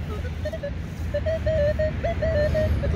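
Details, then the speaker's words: Minelab Equinox 800 metal detector over ground with buried electrical cables and heavy trash: erratic chattering beeps over a low hum, detector oversaturated by too many metals, not faulty. "el hecho de que el detector tenga sonido quiere decir que está trabajando o sea no está mal no es porque tu detector está loco es que simple y sencillamente están detectando demasiados metales y la computadora está sobre satura"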